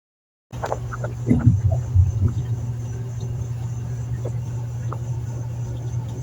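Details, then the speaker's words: Whirlpool automatic washer in its drain phase: a steady low drain pump hum with water gurgling and splashing as the tub empties. A continuous hum or periodic slurp is normal drain pump operation. "se activará la bomba de desagua el agua comenzará a drenarse depende de la cantidad de agua a nivel de agua seleccionado así Tratará en realizar el drenaje es normal escuchar que la bomba hace un zumbido continuo o un foreo periódico"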